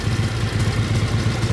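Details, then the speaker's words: 1957 Harley-Davidson FLH Panhead tank shift with sidecar, 1076 original miles: loping even V-twin beat, steady low thumps, no ticks or knocks; clean healthy idle. "There you go. That is what a brand new 1957 FLH sounds like."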